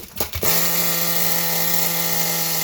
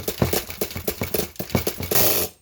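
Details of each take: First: Nitro RC car engine restarted after clearing an over-prime flood, with the high-speed needle leaned because it was too rich: high buzzing idle, several sharp throttle blips rising and falling in pitch, then back to a steady idle, running clean. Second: Nitro RC car engine: starter chatters in uneven bursts about four per second and never catches; the engine is flooded from over-priming.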